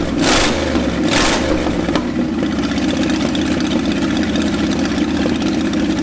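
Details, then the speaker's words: Ford F250 truck sitting 26 years, fuel drained: couple of throttle blips, then uneven, lumpy low drone that never settles to idle; owner suspects massive vacuum leak from loose PCV hoses and bad PCV valve. "see if that fixes the potential massive vacuum leak that could be causing this to not idle at all"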